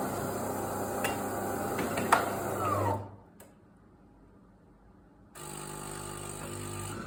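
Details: DeLonghi ECAM 23.266.B coffee machine making a strange noise when drawing milk or flushing the milk tank. A rough, rasping, sucking chatter for a few seconds, then a steady pump hum returns; the cause is unclear.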